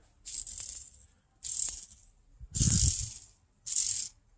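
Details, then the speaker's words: Old input shaft bearing from a Honda D15/D16 transmission spun by hand four times: harsh gritty rattle fading as it slows, in contrast to the new bearing; balls have flat spots and grooves. Worn bearing, being replaced. "you can even see the little ball bearings in there are just all tore up. We've got like flat spots and grooves cutting into them."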